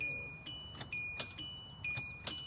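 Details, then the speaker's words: 1999–2006 Kia Optima/Hyundai Sonata, key turned: only a repeating high chime, about twice a second, with no cranking at all. Battery, starter or ignition switch suspected. No-crank, no-start. "it's just not doing anything it's not turning over there's no there's just a so what it could be is the battery"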